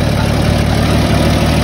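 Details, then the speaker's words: Bullnose Ford truck at idle: heavy, loud, rough uneven pulse with a lumpy beat; misfire from a spark plug working loose, nearly backing out. "oh hey you got a [ __ ] loose [ __ ] plug here the plug is about to come out that's why it's misfiring man"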